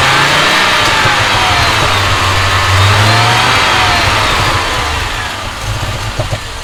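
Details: Audi 2.2 Bosch K-Jetronic with new-old-stock injectors, idle screw turned down from about 2000 rpm: fast idle rising then settling, irregular pops toward the end; owner suspects over-fuelling, plans leaning mixture screw, adjusting idle and sensor plate.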